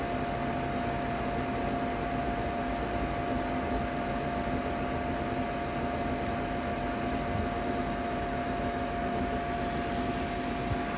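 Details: Ninja Foodi 8-in-1 cooker running cold, though the owner says the unbearable noise comes after it warms up: constant loud airy roar with a steady high whine; excessive fan running noise, cause unclear.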